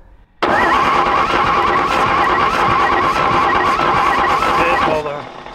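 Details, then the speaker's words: A World War 2 Chevrolet truck that sat decades in a barn, fed small amounts of gas into its carburetor, runs rough for about four seconds and then dies, unable to idle. The carb needle and seat are suspected; it may have run out of fuel. "I don't know if we ran out of fuel again or it should run longer than that but that ain't going to make much for much much of a test drive plus it won't idle"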